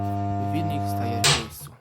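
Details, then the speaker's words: 1984 Frania SHL impeller washing machine (Kielce), never used, stopped after about 2 hours and wouldn't restart: motor switched on hums loudly and stalls with an unpleasant characteristic sound; checked, run capacitor needs replacing. "Tutaj, no i tylko słyszymy taki nieprzyjemny, charakterystyczny dźwięk. W takim przypadku prawdopodobnie, w moim przypadku już na pewno, bo sprawdziłem sobie dokładnie, tu trzeba wymienić kondensator."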